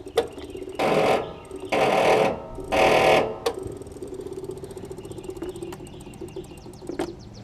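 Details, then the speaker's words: Troy-Bilt Pony riding mower, unidentified small engine (possibly Loncin) that wouldn't start: three short laboured starter bursts, then faint clicking. The solenoid works but the battery seems too weak to crank; owner suspects a bad battery. "Solenoid works, it's just don't know if it's getting enough voltage to the battery to do anything with it. It's like it's not enough power to move the solenoid."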